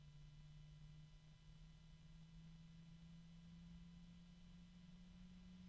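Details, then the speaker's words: Arctic PC case fan just switched on: a steady low hum with an unexpected medium, almost metallic ringing tone over soft air noise. The fan is tonally noisy, cause unknown. "it's noisy from the start there's an odd noise that I did not expect to hear it's a medium tone almost metallic the pitch of the fan itself is"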